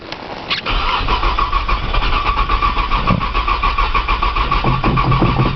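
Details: Cold 1995 Nissan Maxima, 210,000 miles, push-button start, in snow, on jump box after priming fuel: steady cranking about three and a half beats a second for several seconds, never catching. Long crank, no start.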